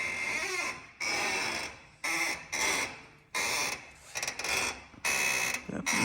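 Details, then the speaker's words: 2022 Ford F-150 with 13,700 miles, steering turned back and forth: repeated creaky squeaks from the front end, traced to a dry upper ball joint with old grease, to be greased. "sounds like it's this side sound like it's coming from that upper ball joint"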